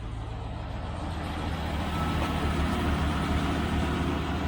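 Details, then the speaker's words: Early 1971 Range Rover Classic V8 after fixing a single-cylinder misfire: idling smoothly with a steady, even low burble, no skips. "running sweet enough now isn't it silly machine"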